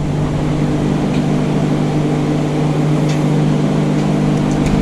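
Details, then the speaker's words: Old engine driving a Model A air compressor, gravity-fed fuel, which previously pumped to about 60 psi: even, steady drone with a low throb and no knocks or misses; running smoothly. "Anyways, I just wanted to hear it run."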